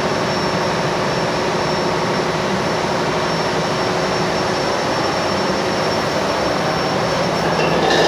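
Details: Ship's main engine after oil level check and lubrication priming, recorded in the engine room: deep, steady diesel drone with even rumble, no knocks or misses; running smoothly after start.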